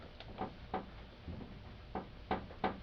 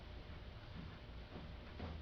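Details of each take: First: 1996–2000 Honda Civic idling at a stoplight: light sharp taps about three a second over a faint idle from hood rattle due to a misadjusted hood latch, fixed by loosening its three 10 mm bolts. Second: 1996–2000 Honda Civic at idle: low, even engine rumble with no hood rattle, a properly adjusted hood for comparison with the rattle heard at stoplights.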